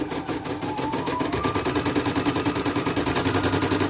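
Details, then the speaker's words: CNY E900 embroidery machine, heavy rotation: fast even stitching rhythm about three beats a second with a dry crackling click each stroke; thread caught in rotary hook/thread path. "Oh iya, bunyi krek-krek bosannya."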